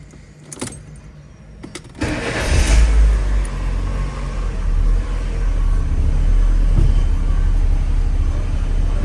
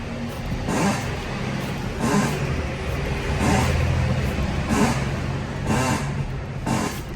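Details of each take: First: A 2008 Fiat Palio with the 1.4 Fire engine, after its worn, noisy power steering box was replaced along with contaminated fluid and a pivot. The engine starts and idles smoothly while steering, with no more of the old creaking noise. Steering is quiet. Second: 2008 Fiat Palio, 1.4 Fire engine, 192,000 km, idling. Creaking clunks about once a second when turning the wheel, like an old door, from a worn steering box with play. Power steering oil contaminated; box to be rebuilt, tie rod ends and ball joint replaced.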